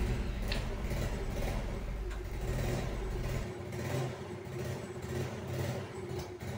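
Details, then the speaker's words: Yamaha Mio scooter that would not start after sitting unused for a long time, now running after its carburetor was cleaned of clogged pilot and main jets: it starts easily and idles with a low, even putter and no misfire. "Ini saya coba starter motornya. Ini saya jok dulu. Ya, aman teman-teman, sudah bisa di starter dengan mudah."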